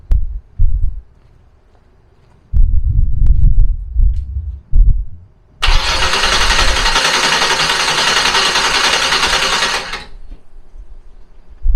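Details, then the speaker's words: Fox body Mustang turbo 351 on a Holley Terminator X, first start after installing a Holley Dual Sync distributor (MSD box) with static timing set. Several cranking bursts, then it catches and holds a loud, steady run; starts normally. "so now we're going to crank it over until the car starts"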